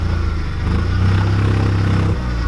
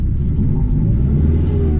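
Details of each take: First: Chrysler TC 16v under restoration, now driving with dragging brakes and janky fuel pump wiring: engine pulls with an uneven, stumbling beat, not running on all cylinders; tune-up needed. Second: Chrysler TC 16v turbo after swapping back the two center spark plug wires, which had been switched: deep, steady rumble with an even firing beat, no missing or shaking; idles smoothly, though injector cleaner may still be needed.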